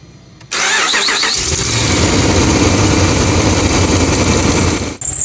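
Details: 2009-2014 Dodge RAM 1500 5.7L HEMI V8: engine cranks and catches into a busy idle with a thin high squeal; re-seating the belt didn't help, fixed by replacing the serpentine belt and tensioner.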